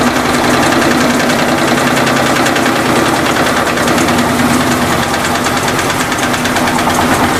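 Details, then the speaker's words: Electrolux LT15F washing machine during spin, suspected worn rear suspension support making noise, foam tape added: fast irregular knocking about three a second over the spin roar; loose hose slapping the cabinet, noise reduced slightly. "tá barulhento mas diminuiu um pouco a mangueira tava batendo no no copinho"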